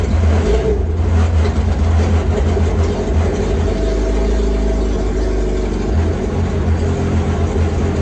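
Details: Yamaha GP1200R converted to a GP1800R, first start of the new engine, speedo cluster not fitted: loud, raw, unmuffled engine catches and runs steadily with a deep, even roar. Strong and healthy; the fuel line was not yet installed.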